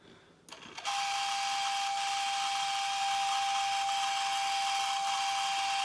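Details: Early-2000s Lemax Oak Creek Grist Mill: a steady thin buzzing whine starts abruptly and holds an even pitch; the tiny water pump is running dry without water.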